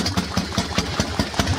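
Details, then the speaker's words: Harley-Davidson Panhead V-twin with SU carburetor, idling: light regular tapping about five times a second over a loping idle, the carburetor slide smashing up and down; SU dampers need oiling. "the actual tapping you can hear there it's a slide in the carburetor smashing up and down on the su um you don't like that"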